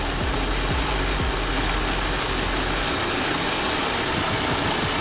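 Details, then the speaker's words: 2022 Audi Q3 with P2279 intake air leak code, engine running rough and shaking: steady airy hiss over a low idle, heard when the cap is put back on and coming from one side of the engine, a vacuum leak. "But guys, I don't know if you can notice when I put the cap back on, that's when I'm hearing the hissing. I'm hearing it hissing more more to this side right here."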